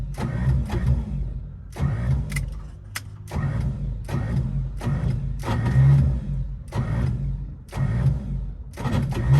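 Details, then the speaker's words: Bagged 1955 Chevy, long dormant, on a jump box with starting fluid sprayed in: several bursts of labored cranking, but the engine never catches. Ignition timing is suspected, not confirmed. "dang it sounds like the timing might be off"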